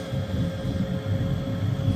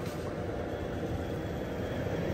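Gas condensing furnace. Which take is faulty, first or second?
first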